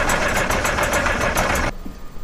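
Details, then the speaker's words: Massey Ferguson 860 combine, Perkins 354 six-cylinder turbo diesel, sat six years, priming fuel system with electric pump and ether: fast even cranking about eight pulses a second, doesn't catch, stops under two seconds; hard start, unprimed fuel. "that's not in the hole it's trying it's trying really hard did you hear that ah still a little smoke"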